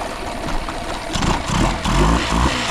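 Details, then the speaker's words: Outboard with a newer, clean-looking filter, restarted after stop-button test: fires and picks up cleanly, revs rising and settling with no hesitation, stumble or misfire; a good running motor. "got no hesitation at all I think we got a good running motor here"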